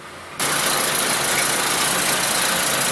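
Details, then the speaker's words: 2004 Honda Civic 1.7 with a couple hundred thousand miles, towed in as a crank/no-start: catches and settles into a very rough, choppy idle with a hissy exhaust; it dies at idle. "we can see and possibly hear that the engine is running pretty choppy. Probably hear it better on the exhaust, I imagine."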